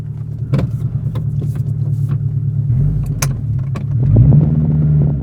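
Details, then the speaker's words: Proton Saga Iswara 1.5 petrol, about 151,000 miles, first start after long storage: deep, loud, raw blatting rumble swelling as it pulls away with no muffling; exhaust system missing entirely, otherwise ticking over fine. "it moves it starts it runs it drives it needs an exhaust"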